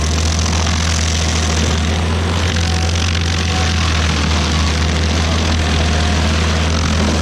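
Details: Stump grinder with freshly rebuilt engine (new rings, cleaned piston), first job grinding a willow stump: loud steady low drone at constant speed throughout, no knocking or surging; oil on heat shield later burnt off; normal running under load.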